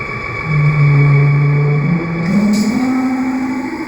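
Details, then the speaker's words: Colchester 1760 lathe drilling with new 63mm Kennametal HTS drill while speed and feed are varied: loud squeal stepping in pitch over low cutting rumble; drill chatter because lathe isn't rigid enough. "rigid as I would like to be so they they do squeal just a little bit but there's not much I can do about that"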